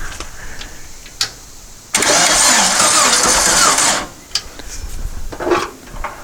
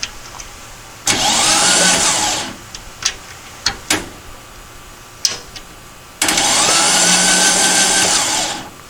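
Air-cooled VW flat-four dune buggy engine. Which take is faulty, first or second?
first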